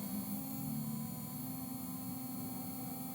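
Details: Electric drill running at high speed settings, near its max of 30: steady high-pitched motor whine with even pitch and no wobble or grinding, running normally.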